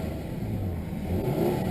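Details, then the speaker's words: 1999 Nissan Maxima V6 after replacing bank 1 and 2 ignition coil packs, which had caused misses and stumbles at idle and acceleration; service engine soon light on for an O2 sensor: clean even rev, no misses; running smoothly. "had some misses and some stumbles on idle and acceleration but it's feeling pretty good right now"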